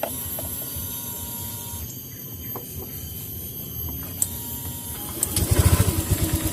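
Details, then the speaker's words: Honda Vario 125 FI scooter at idle, cold, after refitting TPS: low uneven idle, then throttle brings choppy stumbling bog (tekor) that never picks up cleanly; hesitation from misadjusted throttle position sensor, fixed by rotating it slightly. "ini saat hidup posisi langsam kita gas dia masih tekor kita tes sekali lagi saat kita gas tekor"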